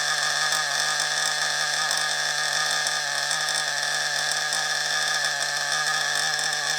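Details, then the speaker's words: FTX Carnage nitro RC engine running: steady, harsh, raspy buzz, doesn't sound right; large exhaust leak at the top of the manifold. "So we've got quite a large exhaust leak at the top of that manifold there. So that's that problem."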